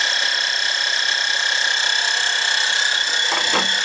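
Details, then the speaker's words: 2012 Honda Odyssey after an alternator replacement for code P1549 (charging system high voltage), charging at 13.5 V; a steady high-pitched whine from the new alternator at idle that is getting worse, suspected to be a defective part. "Is there a weird sound coming from this alternator? I don't know. Let's take it for a test drive. I don't know. It's getting worse."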